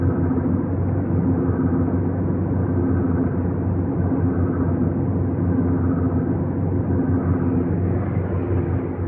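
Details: 2015 VW GTI Autobahn (MKVII): steady, rough low droning grind with a humming tone underneath, easing slightly partway; present for five months, cause unknown.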